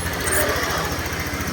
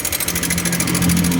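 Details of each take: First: Honda Click 125i LED (2017-18) after repair of an internal tapping noise: a steady, even putt at idle, about three beats a second, with no tapping or rattle on top; the engine sounds healthy and quiet. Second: Honda Click 125i LED (2017–18) scooter engine running: fast even metallic ticking, louder when revved, traced to the cam chain tensioner, which is being removed to check.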